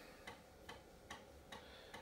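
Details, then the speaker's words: Commodore Amiga 4000 floppy drive (DF0) formatting an old disk: quiet, regular ticks about every 0.4 s over a faint hiss as the drive keeps retrying. Owner judges the disk dead. "Oh, this disc is dead because it made so many defective sounds."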